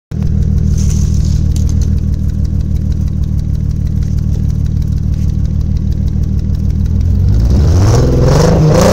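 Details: Toyota 1JZ inline-six misfiring: lumpy, uneven exhaust pulse at idle that carries through a quick rev and settles back, almost Subaru-like, as if missing on a cylinder; cause unknown.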